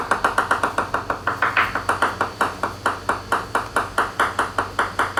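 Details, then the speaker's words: 2021/2023 Leopard 45 catamaran hull tap test at a radius with thick gel coat and something behind it: steady hammer taps about four a second ringing bright and lingering, higher pitch; possible dry resin-starved glass, suspected not confirmed. "so you can hear the uh reverberation in that radius quite thick gel coat with weight with uh something behind it so the pitch gets higher and you can hear the slight bit of reverberation there"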